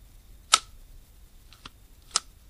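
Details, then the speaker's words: Restored fishing reel with the bail mechanism packed with Corrosion X grease after being lost in a lake; two crisp, clean snaps about 1.5 s apart with a softer click between as the bail flips over, a smooth trip. "can almost hear the battery grease I don't know if this bail was tripping so smooth before the guy lost it in the lake"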